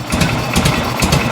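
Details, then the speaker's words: 1986 Harley-Davidson Liberty Edition Electra Glide Classic Evo, 23,000 miles, first run after a decade, air breather off, crankcase still puking oil: slow, uneven loping idle about twice a second. Idle set too low, causing gallop; to be raised. "Might be a little bit too low on the idle. Let me get a flat head. You can let it idle this low and gallop, but it's not good on the base gaskets and the bottom end."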